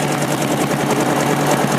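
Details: 1956 BSA BB31 single-cylinder motorcycle, started by hand: even, steady thumping idle, smooth and quiet, no knocks, misses or rattles; healthy engine.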